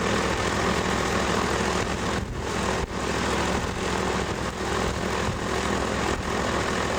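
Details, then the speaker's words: Sevtec hovercraft (SEV) built in a garage in the 1990s, engine run with no exhaust system (earlier builds likely had exhausts; these are much noisier): loud raw roar with a rough low throb and no muffling, unmuffled exhaust. "I think the earlier ones had exhaust systems. Mine are a whole lot noisier."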